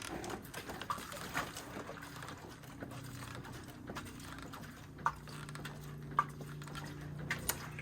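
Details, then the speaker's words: Kawasaki Ninja 300 front end rocked with brakes on: scattered sharp clunks from failed steering stem bearings, which feel stiff then loose around centre and steer as if a damper were turned up. "what you'll hear is with the brakes on and i'm rocking it you're gonna hear the steering stem bearings have failed listen"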